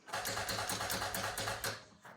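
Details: Early-1990s Oldsmobile Silhouette minivan sat a decade or more, battery about 12.7 V, no fuel pump noise heard: even chugging about five beats a second while cranking in neutral, never catches; cranks, no start.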